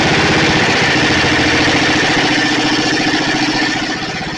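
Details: Snapper 28" riding mower, 12.5 hp Briggs & Stratton single-cylinder, hard-starting: restart after coil grounded with screwdriver; catches and runs with even, steady beat, normal. Owner suspects wiring short or defective seat switch, not key switch, causing shutoffs.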